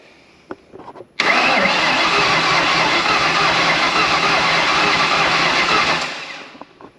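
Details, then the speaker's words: 1993 Mustang, turbo engine, first crank in 12 years, with no oil filter fitted: starter spins the engine evenly for about five seconds with good compression, but it never fires; normal cranking, no start. "I don't have an oil filter on it so uh for a second there was probably a couple more cranks it probably would have spit some oil out of this thing so we're cranking that's good"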